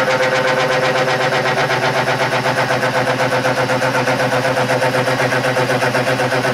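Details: Burke horizontal mill cutting threads on a stub arbor spindle, 10 thousandths per pass after spindle speed was lowered: even, steady cutting with a regular beat of about four per second and no chatter; cutting cleanly.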